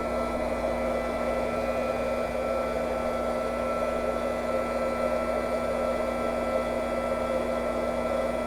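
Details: Drain pump emptying the old leaking 1998 propane water heater tank during replacement: smooth, unchanging whirring hum with steady tones, no surging or rattles; pump running evenly.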